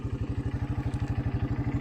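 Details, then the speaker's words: 1984 Honda Big Red 200 three-wheeler, 39 years old and restored after sitting about 30 years, with a new carburetor, cables and an oil change. Firm, regular thumping at about nine beats a second, no knocks or misses; the motor sounds good. "could not get one to work at the moment but the motor sounds good"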